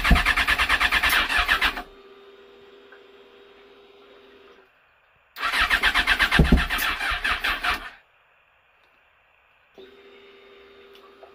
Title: fz6 won't start